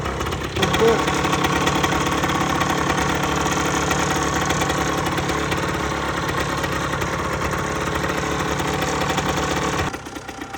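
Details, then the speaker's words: 2008 Rieju RS50 Matrix two-stroke, 6,800 km, after top-end rebuild, heat-cycled, weak battery: catches and holds steady buzzy idle about nine seconds, no knocking, then cuts off; normal idle. "So quick update on the bike. Put everything back together and it's running."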